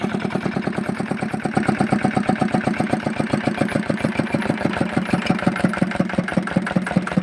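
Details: Fitter diesel engine pump after bleeding air from the pump: even, steady thumping around seven beats a second with no misses or stumbles; single-cylinder diesel idling cleanly.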